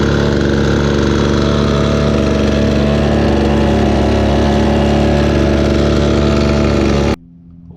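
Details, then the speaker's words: Victa Pro two-stroke blower with fresh fuel, primed, choke on: buzzes at a steady high idle, even and unbroken for seven seconds before cutting off; runs fine. "well that sounds wonderful to me"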